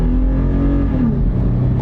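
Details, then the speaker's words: 2021 Toyota 4Runner V6, full-throttle standing start on a quiet road: deep even roar, pitch climbing smoothly without stumble or knock, smooth shifts, plenty of pickup; healthy acceleration. "shift smooth it's got plenty enough pickup like I say it'll Cruise all day long at 8085 it's not a race truck"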